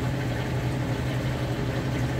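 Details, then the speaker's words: Kenmore HE top-load washer on final spin: smooth, steady low hum with no knocks or scraping as the drum holds speed; runs nice and quiet, healthy. "but as you can see nice smooth operation runs nice and quiet"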